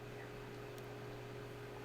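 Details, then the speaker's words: Just-booted desktop PC: a steady loud fan roar with a low hum and a mid-pitched tone over hiss, ramping up; the graphics card fan is spinning far faster than it should. "Well, actually, it's the graphics card one. Yeah, it is actually the graphics card fan. That's massive. Which shouldn't actually be going that fast."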